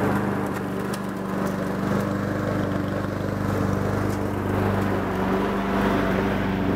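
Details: Honda Harmony 215 mower engine, warm, after a third carb cleaning; the low-end idle mixture screw broke and could not be cleaned. Runs at a fairly steady speed with a smooth, unbroken beat and only mild wavering; normal running.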